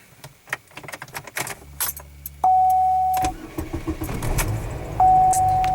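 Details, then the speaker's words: 2002 Pontiac Grand Am with crank-no-start and security light on, after key relearn procedure: keys jingle, chime, starter catches and engine fires and settles; normal start, likely only a temporary fix. "well that worked again though some kind of a temporary fix"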